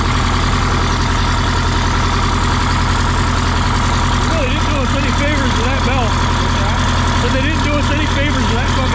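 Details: 1977 MCI coach with 8V71N Detroit two-stroke diesel after freeing three stuck injectors that caused a runaway: loud, steady low drone with even unbroken beat, no misses or knocks; good oil pressure, warming up at idle; normal idle.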